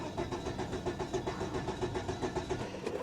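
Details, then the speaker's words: 1997 Volvo 850 Turbo, 131,854 miles, sat about six or seven years, charged battery: even, steady cranking about four beats a second, never fires, tach not moving; crank no start, owner suspects fuel system issue. "I mean we know it ain't going to run but it cranks sounds healthy"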